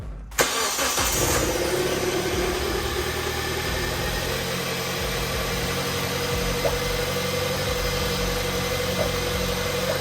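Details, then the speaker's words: 2005 Kia Spectra 2.0L just after timing belt, water pump and drive belt replacement: short crank, catches at once, settles into smooth even idle with no misses or knocks; normal start. "How is it, Logan? Started right up and it's running pretty good."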